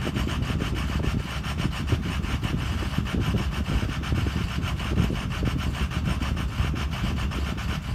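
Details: Ford Excursion 6.0 diesel: low, lumpy idle with uneven thumping pulses and a coarse rasp; intermittent rough idle that occasionally settles back to normal.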